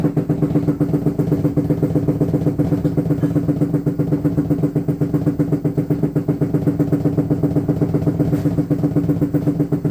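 Deep droning hum with a steady knock about twice a second that keeps repeating; the washer has a worsening mechanical bang, cause unknown.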